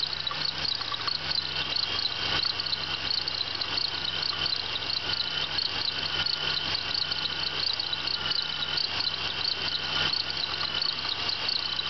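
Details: 1996 Pontiac Bonneville SSEi running: high, rapid cricket-like chirping over steady engine hum from a bad idler pulley bearing on the accessory belt.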